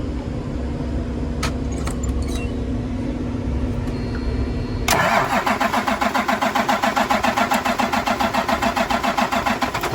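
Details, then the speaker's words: Cummins M11 diesel semi truck after new fuel lines, fuel system primed and bled: brief crank, catches at once, steady even idle clatter without stumbling; starts no problem, no more air bubbles. "so in conclusion, truck starts, no problem. System is bled now. When the truck's running, there's no more air bubbles going through."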